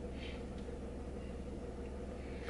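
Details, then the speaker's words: 2002 Mk4 VW Polo after carbon cleaning of throttle body (EGR clogged light) and VCDS adaptation, warming toward operating temperature: steady, even low rumble, no stumbles or misses; idle now smoother than previous rough running. "you should see now that the idling is a lot smoother and you've got no rough running engine which is what we had with this one"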